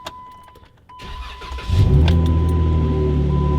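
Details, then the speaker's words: 2015 Jeep Wrangler JK during plug-and-play remote start module programming: starter cranks briefly, engine catches and settles straight into a steady even idle; normal start and idle. "set the ignition to off press the module button both led1 and to turn solid green now we start the vehicle"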